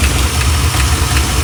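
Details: 1987 Chevrolet C10 at idle after being revived: loud, deep idle with a light, fairly regular tick a few times a second that changes pace once; source undetermined.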